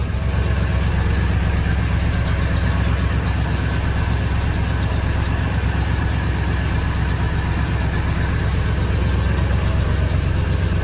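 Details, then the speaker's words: 1986 Oldsmobile Cutlass 442 G-body V8 after the exhaust leak repair: a deep, even, quiet idle burble with no ticking or exhaust puffing. It now runs smooth. "all right now you can hear how quiet it is it's a lot smoother now"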